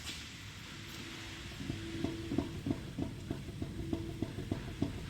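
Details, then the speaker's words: 2005 Toyota Tacoma 4WD, 175,000 miles: quick hollow clunks as the front wheel is rocked by hand at three and nine o'clock, showing large steering play. "do you hear that this is holding it three and nine there's a huge play in this direction"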